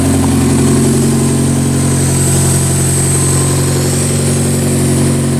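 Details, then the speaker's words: Car started after PCV tube replacement and fuel pump relay reseating: a thin steady hiss over an even idle, confirmed as a vacuum leak. "Okay, I hear a vacuum leak. I think."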